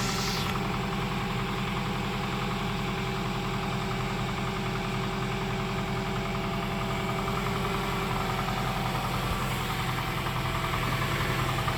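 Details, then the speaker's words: 2001 Toyota Tacoma Prerunner, 220k miles, after repair for P0303 misfire with new coil packs and valve cover gasket: steady even idle with smooth low beat, no stumble or miss; no longer misfiring, runs better than in years. "oh yeah she's running good she haden't run this good in a long time"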